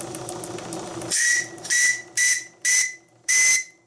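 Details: Steam whistle on RC steamboat with old JMC 3 cc engine at about 2 bar, no leaks: five sharp clean blasts with a steady high tone, no hiss or sputter between them; whistle works properly.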